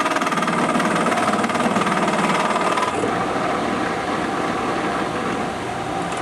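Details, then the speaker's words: Small Chinese-import benchtop drill press boring cast-iron pulley: rapid rattling chatter, about three hits per second, over the running motor; lower bearing suspected, setup also disliked; chatter while boring. "Oh sounds like you got another berry problem on that lower bearing I'm sure"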